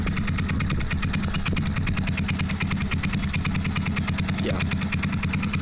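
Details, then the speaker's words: GY6 scooter engine idling at about 800 rpm after reinstalling Ecotrons electronic fuel injection; slow, even single-cylinder putt with evenly spaced beats, no stumbling, air-fuel ratio below 10; healthy, stable low idle (carburetor could not idle below 1700). "and as you can hear it's relatively stable with the carburetor i could not get it below 1700"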